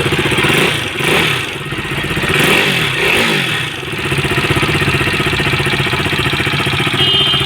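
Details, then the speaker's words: KTM RC 390 single at idle and blips: quick, light metallic tick-tick tapping from the valve train. Teardown found a worn rocker and cam, caused by an oversize tappet shim. "RC 390 है इसके engine में sound है टिक टिक टिक टिक"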